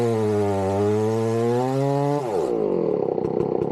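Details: Chainsaw started cold for tree felling: crisp, clean high revs drop smoothly as the chain bites into wood, with no stutter or sag. Normal running, healthy saw.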